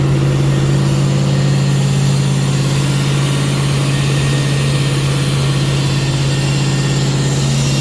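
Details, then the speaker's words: 1951 Mercury with swapped-in 355 Chevy V8, first start after install, burning grease off; deep, steady burble with even low drone, no knocks or misses; normal idle. "sounds badass good for us burn all the grease off"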